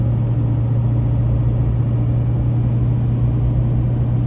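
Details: 2006 Chevrolet Silverado 2500HD LBZ 6.6 Duramax diesel, 91k miles, Allison six-speed, accelerating uphill through gears: deep steady diesel drone pulling evenly under load, no flare, knock, clunk, harsh or slipping shifts; normal running under acceleration.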